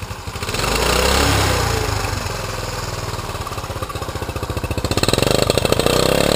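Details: 1980 Honda CT110, 4,864.9 miles, just bought: small single revs then a steady, even rapid putter with no knocks or misses; engine runs healthy.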